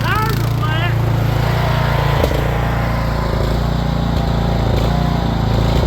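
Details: Rear-engine Snapper mower, Briggs & Stratton engine with new carburetor, stored over 10 years, now running: steady low thump at constant speed, slightly uneven; owner thinks the carburetor needs a little adjusting.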